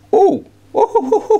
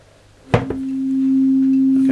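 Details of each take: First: Orange CR120 solid-state guitar amp (200 W power chips), chassis out on bench: steady test tone cutting out and stuttering back as the inter-board connector is touched; intermittent sound dropout from a loose inter-board connector. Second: nice signal waggle waggle waggle look at that completely fixed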